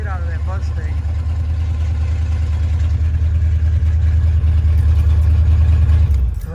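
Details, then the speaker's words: 1987 Ford Bronco XLT, cammed 351W with Holley 4-barrel double pumper, headers into straight-piped true duals with no mufflers: loud, deep, steady idle rumble held high. "basically straight pipes loud as hell there's the high idle right there"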